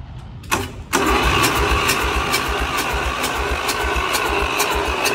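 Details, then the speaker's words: Free diesel engine with suspected stuck rings, cranked with ether on a boosted starter, no fuel reaching the injectors yet though the pump has fuel: starter churns about 3.5 beats a second, engine spins but never catches. "we ain't got no fuel com out of the injectors yet though so that's a problem"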